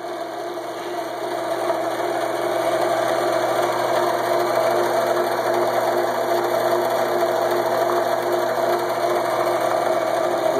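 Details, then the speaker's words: Scroll saw (jigsaw) after replacing die-cast aluminum pulleys with cast iron ones, adjustable lower pulley tensioning the belt: smooth steady hum with no wobble, versus about 1/8 inch wobble before; normal running. "let me turn it on and you'll see how smoothly it runs look down at the edge of it runs perfectly smooth no wobble whatsoever"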